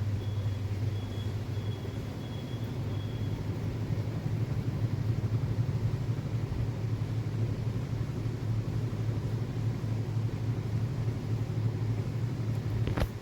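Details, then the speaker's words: Whirlpool top-load washing machine (1-2-3 board type) during spin after drum bearing replacement: smooth, steady low hum with no grinding or rumbling, much quieter than the loud spin noise before repair; bearings now sound healthy. "ശേഷം നമ്മൾ bearing മാറ്റിയതിനു ശേഷമുള്ള sound ആണിത് അത്യാവശ്യം നല്ല രീതിയിൽ മാറ്റമുണ്ട്"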